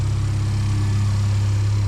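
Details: 2018 Porsche Macan, damaged car left standing 2 years, starting easily and idling with muffler removed: deep, even open-exhaust drone with no misses, knocks or hunting; a healthy idle.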